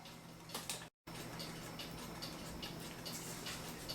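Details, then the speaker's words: Vintage United electric swinging bell clock after waxing the bell's wood block and oiling the movement: faint soft ticks, about seventy a minute, over a low motor hum, no squeak; normal quiet running. "so here we go no more squeak don't hear the clock running that's what most people want"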